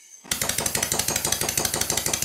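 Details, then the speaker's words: Stuart Sirius steam engine, run on compressed air: sharp clattery harsh uneven beats about ten a second, far noisier than the red one. "i can immediately hear a couple of things with this engine that i need to change but for the moment i'm not going to discuss that i'm just going to run the engines so you can hear both of them this engine is far noisier than the red one"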